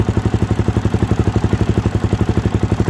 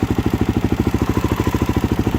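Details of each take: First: 2013 Suzuki DRZ400SM single-cylinder, first start after coolant flush and new fluids; even steady thumping, no knocks or stumbles; healthy idle, owner sees no leaks and no need to adjust idle. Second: 2013 Suzuki DRZ400SM single-cylinder, first start after coolant flush and new fluids; even idle thumping with light metallic clatter; owner hears rattling, suspects cam chain adjustment, possibly too tight.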